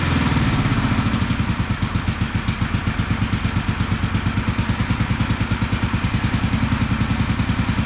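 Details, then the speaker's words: 1974 Honda CB450 twin, after the ignition timing was corrected and the timing cover refitted, keeps a steady, even beat with no misses or knocks and is running nicely on both cylinders; slight smoke from the left cylinder. "so let's see [Music] she is running nicely on both cylinders"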